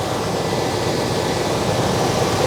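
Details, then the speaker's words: 1989 Chevy K1500 with a new severe-duty fan clutch, engine warm at idle. A strong, steady rush of air with no flutter, rattle or pulsing. It is pulling far more air through the condenser than the old clutch; the clutch is locking up well. "like my hand is probably 6 in away from the condenser and the amount of air that it's pulling in I can tell is significantly more than uh and also the amount of air that it's blowing over the engine is already significantly more than what the old fan clutch was doing"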